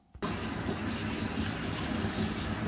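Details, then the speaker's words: Worcester Greenstar 30Si Compact boiler firing up in hot water mode: steady churning, washing-machine-like gurgle over the burner rush; likely a blocked condensate trap. "you may be able to hear it it sounds like a washing machine going if you're listening carefully there i'm really in hot water mode at the moment so basically we've got a blockage this normally it's a block condensed trap"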